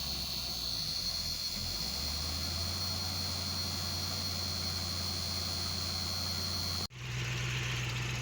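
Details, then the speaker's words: 1976 Ford Gran Torino, unrun for about four months, engine pre-warmed by a heater for an hour on a cold winter day, cranked first to build oil pressure: catches quickly, settles into smooth, even low-drone idle without knocks or misses; normal cold start. "This thing is just a sweetheart. It starts up every single fucking time."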